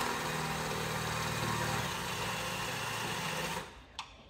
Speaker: it's going to be a lot of drilling a lot of messing around